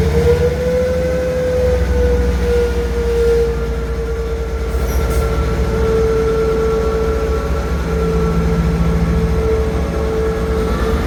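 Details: Class 158 diesel unit 158720 pulling away from Dingwall toward Kyle of Lochalsh: steady mid-pitched howl over the rumble, wavering slightly with speed; cause not evident.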